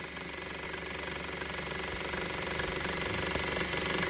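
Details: 2013 Honda Civic petrol engine idling with a dry, fast rattle of about four beats a second over a hissy running sound; noise persists after belt tensioner and belt were replaced.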